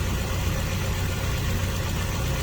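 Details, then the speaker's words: Toyota Tarago/Previa/Estima engine, first start after new head gasket and refreshed head: low even idle rumble with steady beat, no ticking or misfire; normal idle. "This is the first crank, by the way, since I put everything together. Looks good."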